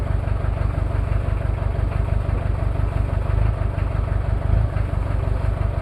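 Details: Toyota 2L-T diesel cold start after piston ring replacement without top overhaul, possible head issues: heavy low clatter at cold idle with uneven lumpy beat about three pulses a second; one bad injector misfiring.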